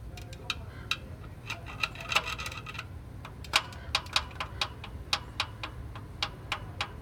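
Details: Toyota Prius: sharp, irregular metallic ticks about three per second over a low engine rumble; knock from inside the engine, cause not determined.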